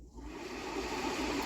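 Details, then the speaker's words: Volkswagen Tiguan HVAC blower after a scan showed a fresh air blower mechanical malfunction. The stuck fan, likely stuck from moisture or sitting, was freed by hand. It now runs with a soft, even whir building smoothly then holding steady: normal blower operation after the fix. "so I moved the fan and then here's what happen it start moving it's start working so what it was the fan was just got stuck and maybe because this car has been set for a little"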